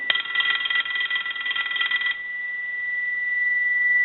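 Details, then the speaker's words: Stromberg Carlson 2-1553 rotary wall telephone under repair, analyzer normal ring setting: fast even clattering ring for about two seconds then a clean fading tone, volume increased over the low setting, bell healthy. "so basically with a normal ring it increased in volume"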